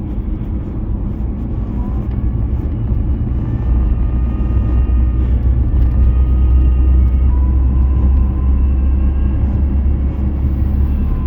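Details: Nissan Navara D40 2.5 diesel: faint high whine over a steady diesel drone, pitch shifting with revs, starting after 1500 rpm and quietening somewhat by 2000 rpm; source not pinned down.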